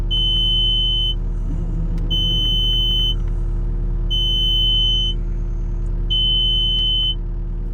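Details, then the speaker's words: Caterpillar 289D3 skid steer: steady one-second beeping alarm over diesel rumble flags a low-voltage code, though an alternator test shows voltage fine; cause unknown. "There's the code. Now, when I pull that code up, it's saying low voltage."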